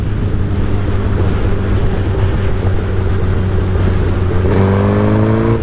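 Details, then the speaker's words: Motorbike lugging at about 2000 rpm in sixth gear after the stutter fix: a deep, uneven drone with some lag but no jerking back and forth; it dislikes low RPM but does not stutter. "you can hear you can hear the bike not liking it like it's that's fine you got you're going to have a lag but it was jerking the jerking back and forth was the problem"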